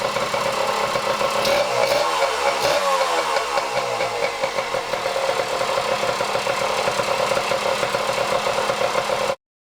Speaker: So there is our 1977 KD100 running good.